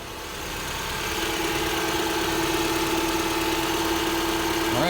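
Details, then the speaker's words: 2010 Subaru Forester (3rd gen) just started after battery replacement; steady, even idle with smooth hum, no misses or knocks, accessories working. Normal idle. "right, it is running, no sparks. Accessories are working."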